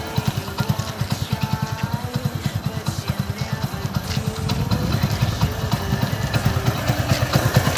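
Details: Hero Splendor Plus single cylinder after engine block replacement and rebuild, first start of finished bike: even, steady thumping about six beats a second, no knocks or rattles; smooth healthy idle.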